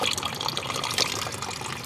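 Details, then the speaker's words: Auction-bought car: steady gushing pour of coolant, engine off but still hot, from a hose completely off its fitting, likely due to a broken bracket. "Oh, it's right here. I see the issue. Oh, look, we have no hose on here whatsoever. And this is the hose."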